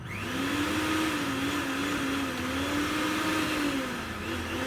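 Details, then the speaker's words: Repaired mixer grinder that had been stopping mid-run, with the series bulb not lighting; fault traced to the main plug. Steady high motor whine with slight pitch wavering, running continuously without cutting out; healthy normal running after repair. "बिल्कुल दोस्तों यहां पर हमारी जो mixer machine है यहां पर ठीक हो चुकी है और दोस्तों इसके अंदर जो कमी थी वो थी इस मेन प्लग की।"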